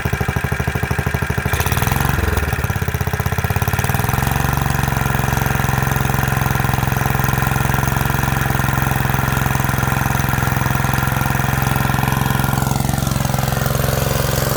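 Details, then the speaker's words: Rebuilt Kohler K91 single-cylinder engine on its first start after the rebuild, run on choke and fuel. It catches, settles, then thumps along at a steady, even idle with no knocks or misses; healthy normal idle. "an initial startup i don't think you could ever ask for anything better than that"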